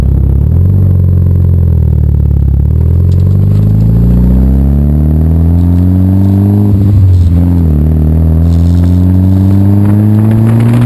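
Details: Mitsubishi Evo IX full-throttle misfire after sitting a winter awaiting a new clutch: pulls hard then stumbles and breaks up at high RPM, car shakes and tach flails, no CELs, fine at medium throttle and idle; fixed with new ignition coils and COP kit.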